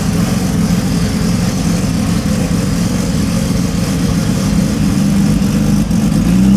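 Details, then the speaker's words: 2700+hp VL drag race car idling, timing stable at 32, throttle position fine: loud lumpy idle that surges and sags unevenly and lifts at the end as the idle control grabs and releases the revs; idle hunting. "You can hear the idle control grab it like it kicks. It needs, like, you can hear the integral start winding it back down, but I think it's fun."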